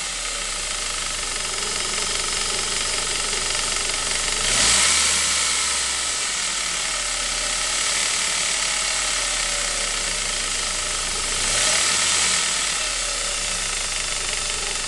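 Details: Saab 9-5 B235 petrol engine at cold-start idle: fast, fairly even metallic rattle, about four taps per second, heard on a cold engine only; owner suspects the timing chain, cause not confirmed.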